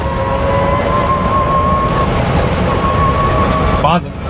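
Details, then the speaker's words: Renault Twizy on a rough test drive after fitting silicone rings to stop window rattle; even road and motor rumble, only faint sliding-pane noise, windows tight and very quiet; no window rattle. "Es klappert nichts mehr. Man hört ganz fein noch diese Schiebescheiben in der Scheibe selbst. Aber ansonsten ist alles wunderbar fest. Es ist unheimlich leise."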